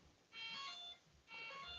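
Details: RC propeller warbird with a radial LED exhaust-flame setup, ESC disconnected from the radio: evenly spaced high beeps about a second apart, with no motor running. This is the speed controller warning that it is disconnected.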